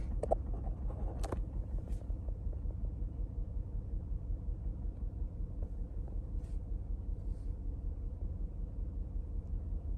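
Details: 2009 Lincoln MKS 3.7L, customer complaint of vibration, code P0305: low uneven idle with stumble about 160 times a minute; cylinder 5 misfire from a failed ignition coil, rear bank under intake manifold.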